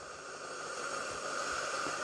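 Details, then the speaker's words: Electric steam mop, warmed up, trigger pulled: steady even hiss with faint high whistle building over two seconds as steam output increases. Normal steam output. "well it's starting to pump out a fair bit now so yeah certainly appears to be working"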